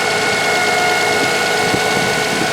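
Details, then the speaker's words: Toyota Highlander alternator with a failing bearing, suspected caused by the belt used: steady high whine over the idling engine, engine started by remote start with hood open. "So here I'll let you listen to what that's like and what that whine is like. So let me start the car here with the remote start. And I did override the hood latch for this, but you can hear how it's got that whine."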